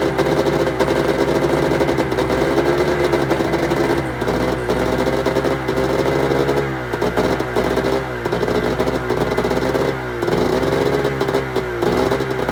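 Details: 1996 Arctic Cat ZRT 600 two-stroke snowmobile after fuel pump rebuild, freshly primed with air bubbles clearing from lines: fast idle buzz with quick throttle blips rising and falling cleanly, running evenly without stumbling; normal idle and rev.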